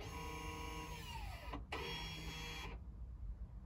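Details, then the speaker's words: 2015 VW Golf Mk7, ending electric parking brake replacement mode via XTOOL IP508 scan tool: short steady motor whir that slows, pauses, runs again and cuts out; parking brake motor operating normally. "right now we want to end the replacement mode so let's press number two okay we can hear it it will move"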